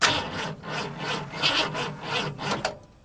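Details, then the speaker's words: 1950 Ford F1 truck, sat years in a barn, cranked with cleaner sprayed in carb: starter churns in bursts with sharp pops that never catch; fires but won't stay running, later suspected to be ignition only energized while cranking. "and then if you remember it would not you know we could kind of spray and spray and then it wouldn't stay running"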